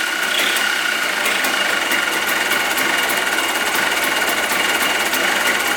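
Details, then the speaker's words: 2004 Yamaha Blaster 200cc two-stroke ATV after freeing a stuck carb float: fast, even, buzzy idle without stumbling; idles fine without looping the TORS line. "though well it sounds like a will idle now well I didn't think so but it doesn't look like we have to Loop that back TOS thing"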